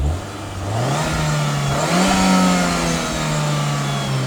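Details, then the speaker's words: MG ZT with a Rover K-series 1.8 engine free-revving through a couple of blips over loud hard-wired cooling fans. It climbs cleanly with no misfire or rattle and gives a little pop and bang. Owner notes only a very slight rumble when revving. "you know nothing too bad probably can't hear it on video but there's a very slight uh rumble stick as you do that very slight"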